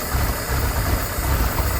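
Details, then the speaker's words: Old abandoned ski boat engine after years of sitting, old carburetor with only the idle screw set: deep, steady idle with even beat, no knock; smoking, and an apparent manifold leak noticed. "Heck yeah. Old carburetor worked out. I didn't do anything to it except set that little screw right there."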